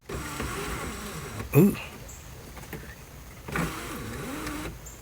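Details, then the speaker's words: Car sunroof clicking and abnormal; during motor swap testing, the motor whines with a wavering, uneven pitch and sharp clunks at each stop and start. "let's try this sunroof again i hear it clicking let me try to replace the motor see if the motor does any better"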